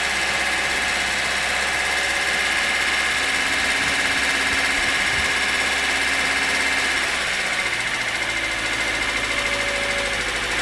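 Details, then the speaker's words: VAZ engine after repair of crankshaft key/pulley wear that caused knocking, listened from the front, alternator belt off: light fast valve ticking over an even idle, heavy clank gone; valves to be adjusted. Valve tappet noise. "Слышите, ушел стук, ушел. Это уже тарахтит, там клапана тарахтят, ничего страшного. Но этого лязга-то уже нету."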